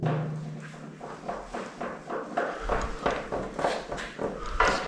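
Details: Bicycle rocked back and forth with front brake held after riding in rain: dull clicks and knocks from the headset (steering bearings); owner almost sure it's the headset, saddle and front wheel ruled out.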